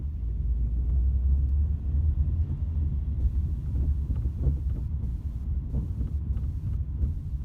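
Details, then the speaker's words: Ford Mondeo driven on the road, camera on the rear seat: deep cabin rumble with dull irregular thuds from the rear, felt through the floor; all four rear subframe bushes split, letting the subframe knock the body; worsened over 3 years. "So you can hear this rattling right through the floor. You can feel it in the car."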